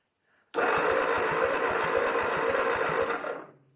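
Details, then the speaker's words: Ford 8N tractor cranked by the starter during a compression test; it spins quickly and evenly at about five pulses a second with no heavy compression stroke; cylinder one shows zero compression, and the owner suspects the piston rings. "zero oh gosh how can you not have any compression how's that even possible just like"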